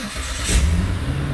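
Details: Car engine start after fitting a rebuilt starter to replace one with a weak bendix drive spring that no longer pushed to engage: catches quickly, rising into a smooth low rumble with no grinding or clashing. Clean normal start.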